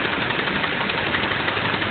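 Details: Idling car engine with a quick, steady light knock over a hissy, thin-sounding run; owner wonders about a spun bearing or lifter knock, suspects a hydraulic valve lifter, and found a broken part; cause not confirmed.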